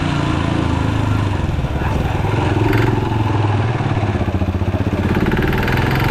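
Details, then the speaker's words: Yamaha motorcycle about one kilometre after filling with bad fuel from a suspect station: rough metallic rattling knock over the engine beat, which the owner had never heard before, from low-octane fuel. "लेकिन after one kilometre मेरे bike से एक बड़ी particular आवाज आने ग पड़ी"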